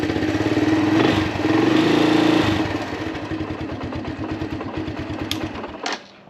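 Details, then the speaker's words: 1983 Honda Big Red ATV, hard starting on roughly 1.5–2-year-old gas, after refilling with fresh non-ethanol 91 octane and draining the float bowl: single catches at once and runs with a quick fairly even thump; healthy start, the old fuel was the cause. "Alright, so it started right up."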